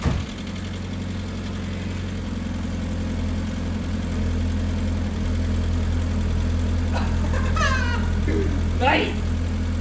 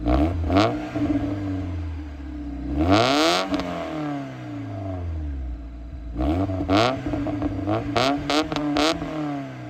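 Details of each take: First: Mazda Miata engine on first start after valve stem seal replacement, new head and intake gaskets, filters and plugs; fast, slightly uneven light ticking over idle with brief smoke; later believed caused by oil not yet reaching the top end. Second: Mazda Miata engine revved a few times after the valve stem seals, head gasket, and intake gasket were replaced: quick revs rise and fall smoothly over a raspy exhaust with no knocks or rattles. It sounds healthy, though a smoke check is still pending.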